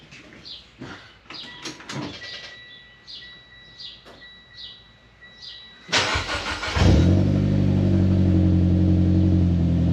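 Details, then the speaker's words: 2011 Mitsubishi Lancer Ralliart parts car, 63,000 miles, no reverse gear but motor said to be very healthy: crank, quick catch and steady, even idle with no knocks or misses; normal start and idle. "The only real hiccup is that it has no reverse. But other than that, I mean, the motor's very healthy."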